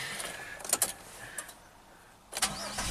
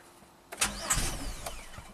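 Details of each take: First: 2007 Chevy Equinox AWD, 35k miles, after replacing a blown fuse and reseating a relay installed 90 degrees out; a few clicks, brief starter whir, engine catches cleanly and settles to an even idle, starts and runs normally. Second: 2007 Chevy Equinox AWD, 35k miles, auction car, after clearing codes and fitting a spare 15 A fuse: a brief crank that never catches, with no fuel pump hum. Code P0230 fuel pump relay control circuit and apparently no fuel pressure.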